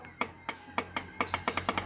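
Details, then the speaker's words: Honda CB150R, electric start pressed: sharp single clicks speeding to about six a second with no starter motor spin; clicking heard at the starter relay under the seat near the battery, worn starter suspected. "Oke teman-teman, jadi bunyi cetik-cetik itu ya terdengar di otomatis starter ya teman-teman."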